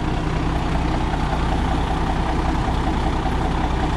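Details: 1991 International 9670 Eagle truck diesel idling after restart following cab lock, fuel line and injection pump repairs: deep steady clatter at roughly three and a half beats per second, even and unbroken; normal idle.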